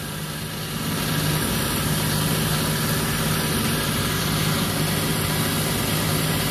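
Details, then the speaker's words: 6-ton Trane rooftop package gas heating unit during maintenance, inducer reassembled and restarted: steady rough drone with uneven rumble and wavering hum; inducer motor still very loud and bad, needs replacement, though ignition works. "I got my inducer reassemble turn it back on I'm sure you can hear that it still sounds like garbage but at least we'll be able to see if everything else fires up and we do have ignition"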